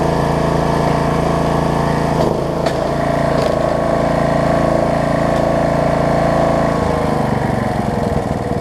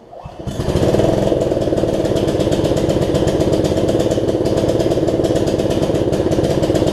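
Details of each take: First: Snapper rear-engine rider after carb cleaning, throttle cable repair and new deck belt replacing a stretched, cracked one; single cylinder runs smooth, then idled down cleanly to a slower, even idle with no misses or knocks; healthy. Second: Snapper rear-engine rider, test ride after a new deck belt and throttle cable repair, before the carb cleaning: steady putter with a slightly uneven, lumpy beat under load; owner thinks the carb has some gunk in it.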